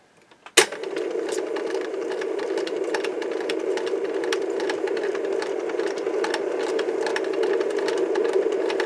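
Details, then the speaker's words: Mid-1960s Lloyd's TY-799A portable tape recorder playing side two of a tape: after a click the transport whirs with light mechanical ticking, but no audio comes through; playback output dead. "getting any audio it sounds terrible"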